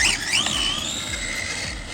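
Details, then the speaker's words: CEN Racing Puma 1 brushless RC rally car with a plastic spur gear, driving. A high, thin squeal rises and falls with motor speed, so the drivetrain is squeaky; the owner suspects the gear mesh is a little tight, not confirmed. "Plastic gears though on brushless cars just never really work. But this thing handles like a dream though. I don't like how squeaky it is. I'm wondering if maybe the gear mesh is a little tight."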